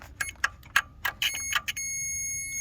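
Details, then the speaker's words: Ford F350 7.3 IDI diesel starter diagnosis, multimeter continuity from battery negative lead to engine: light probe clicks then steady high beep about a second; continuity confirmed, engine grounded, so starter should be grounded. "And we do. So that means the engine is grounded, which means that starter should have been grounded."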